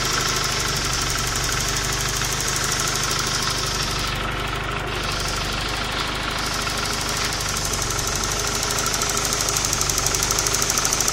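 A steady idle with a fast, loosely regular ticking knock riding over it; something sounds wrong, but the cause is unclear.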